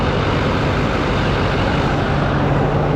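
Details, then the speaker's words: 2021 GMC Denali Duramax diesel after a rebuild, idling shortly after first start. Steady, even diesel clatter with a smooth low rumble and no knocks or misses; sounds really good, normal diesel idle. "I guess I can throw the headlight and everything else but yeah it sounds really good"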